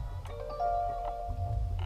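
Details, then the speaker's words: Kia, engine off on a 95–100°F day during AC/Freon check, push-start car: ignition power switched on, seat and steering wheel move, then a short bright two-tone bell chime over a quiet cabin; normal welcome chime. "That comes on. Cool little whistle bell."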